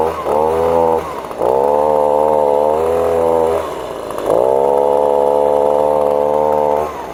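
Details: Echo leaf blower, two-stroke, after installing new carburetor, fuel pickup and air filter; started cold, too much choke noted. Revs up high and holds steady, dropping briefly between throttle pulls with no stumble or sputter; runs normally.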